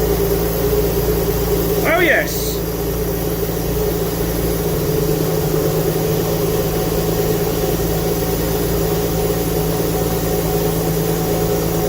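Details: Alfa Romeo GTV V6, abandoned for years, first full start after fitting a used fuel pump with a new seal: a steady, even idle with a constant low hum, no misses or hunting. Runs smoothly; the smoke is from burning oil residue.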